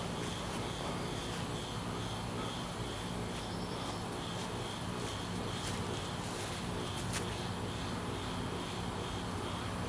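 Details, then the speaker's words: Johnson 150 outboard on garden-hose flush, start after readjusting idle screws on all 6 carburetors to 5 1/2 turns (previously stalling; smokes at first start): steady idle, no stalling here, fix unconfirmed until lake test; rough idle. "Right now I'm going to start it up, and we can look for it to smoke quite a bit, as it usually does when I first start it. And I'm hoping it's going to be running a little better."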